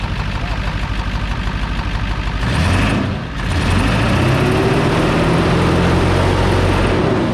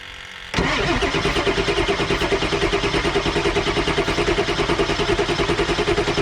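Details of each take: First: 7.3 Powerstroke diesel first start in a year after turbo rebuild, new injectors, glow plugs, valve covers and wiring, cold air intake not fitted: low steady clatter about three beats a second, idle sounds normal; visible boost leaks. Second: 7.3 Powerstroke diesel after turbo rebuild, new injectors, glow plugs and wiring: starter cranks steadily about three pulses a second for several seconds but never fires; came close, batteries might die, jumper cables next.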